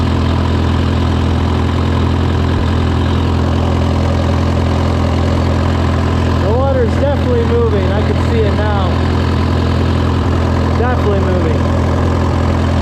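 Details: Case VAC tractor after an aftermarket water pump was fitted, with the gauge holding steady near its normal 35–40°C; it had earlier overheated to 80° after a coolant change. A steady, even low idle with a smooth regular beat and no knocks or misses: a normal idle.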